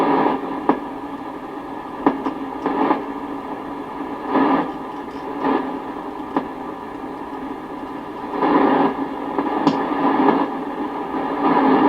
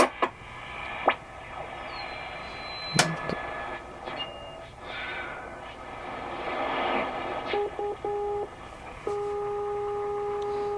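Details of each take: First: Sony CRF-320 receiver, tuning slowly with volume up: steady static hiss broken by irregular clicks and pops; suspected dirty contacts or a bad solder joint in the pre-selector unit, which needs cleaning. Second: Sony CRF-320 communications receiver (like CRF-330K without tape) on the bench during restoration, tuning the longwave (bottom) band: steady hiss with clean whistling carriers fading in and out; longwave reception working normally.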